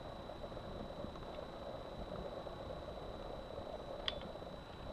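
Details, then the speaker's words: Heating circuit with a large pressure drop, heated up and checked with a listening probe at a fitting where a thermal camera shows a hot spot: steady even hiss with a faint high tone, strong vibration; water leak at the heating pipe fitting. "ici on a une déjà anomalie que l'on détecte à la caméra thermique importante de chaleur au niveau d'un rord avec une confirmation avec l'acoustique avec à cet endroit donc de forte vibration"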